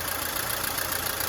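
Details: Mercedes-Benz W212 M271 at idle, oil level full: light quick top-end ticking as the hydraulic lifters knock again; owner suspects antifreeze in the oil (greenish foam under the cap) and plans Liqui Moly stop-leak and lifter additive.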